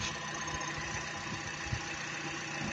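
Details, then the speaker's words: Toyota Vios or Avanza 1NR engine, 2023 model, idling evenly after no-start fixed by oiling; soft steady pulse, no smoke, no misses; normal idle. "Ayan, okay na. Aandar na."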